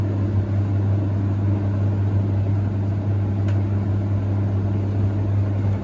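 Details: Hoover Ecologic D6722 reversing tumble dryer, after being taken apart and de-fluffed internally, test run with lid on and heating up: steady low hum, even drum rumble, no knocks, scrapes or squeals; smoother than owner's older one; normal running.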